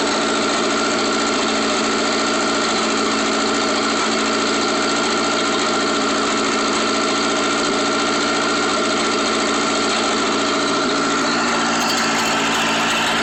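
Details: Atomic 4 marine engine after rebuild: loud steady idle with uneven stumble and occasional skipped exhaust beats; misfiring at idle.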